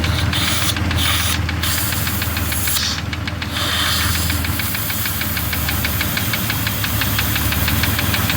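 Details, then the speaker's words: 2002 Jeep Grand Cherokee Laredo idling with a vacuum hose open (missing part, also weakening brakes): light uneven tick about four per second with faint hiss; rough idle from vacuum leak. "course you notice you hear the difference in the engine that makes a difference in how the engine works too"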